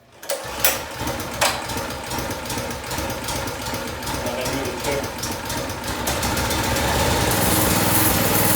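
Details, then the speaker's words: Harbor Freight Predator 212cc engine on a DB30 doodlebug, original carburetor (cleaned, no help): small single fires, stumbles, only keeps running at held-high revs; idle screw nearly all in, dies whenever choke fully off; won't idle, cuts out at full throttle. "now there the idle screw is all the way in pretty much that's why it started to move but when i put the choke all the way off it turns off every time"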